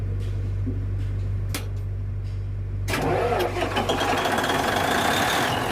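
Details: Denyo DCA610SPM diesel generator that wouldn't start, after checking the magnetic pickup (1.3–1.4 ohms) and its wiring: a quiet hum, then the starter catches and the diesel fires and settles into a steady, even run without stumbling.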